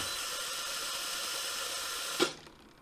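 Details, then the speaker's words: Philips EP5443/90 LatteGo espresso machine: steady high-pitched steam hiss, then sharp click and fade; drain solenoid valve leaking steam into brew chamber and tray during milk frothing. "okay, you can hear and see this valve hissing all the time."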